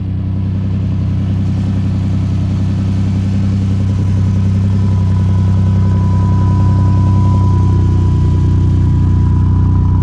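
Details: 1988 Camaro RS V8 that sat over a decade, first start after full fuel system rework: deep even burble with steady rhythm, no knocks, misses or ticks; healthy normal idle.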